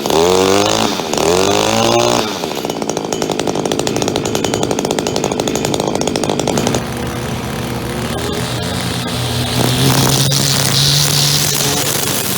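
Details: Echo SRM-2400 two-stroke string trimmer, believed mid-1990s, started with choke and about six primer presses: pull-start, then crisp buzz settling to an even high-pitched run that picks up cleanly; runs normally.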